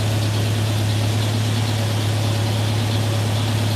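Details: Mercedes W123 (S123 estate) idling after first start in nearly three years; steady, even low hum with no knocks, misses or rattles; normal idle.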